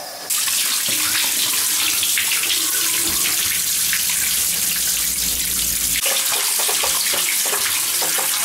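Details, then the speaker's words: Home hot-water heating system, purging air via hose on the last zone with the fill valve fully open: steady rushing water with irregular spitting, sputtering bursts as what is probably a large trapped air pocket from the piping blows out the purge hose; owner had heard air in the baseboards and pipes. "now that's showing me that we probably got a large pocket in air out of the system just now it was trapped somewhere in the piping"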